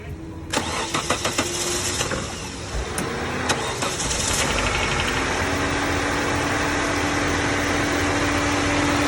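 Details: 2001 Nissan Sentra 1.8L QG18DE DOHC, first start after head gasket replacement with timing reassembled; uneven cranking about four seconds, then it catches and settles into a smooth, steady idle: normal start and idle.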